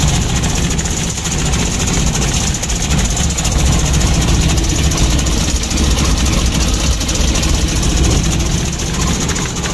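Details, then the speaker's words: Mitsubishi L300 diesel with idle too low: lumpy, shaky idle with uneven clattery ticking; fuel starvation from a clogged fuel filter and dirty pump. "untuk permasalahan pertama mesinnya goyang seperti ini"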